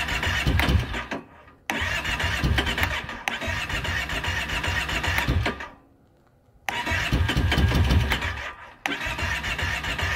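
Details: 2012 Kawasaki Brute Force 650i ATV cranking. The starter churns in bursts of about a second with pauses, and the engine never catches: crank, no start.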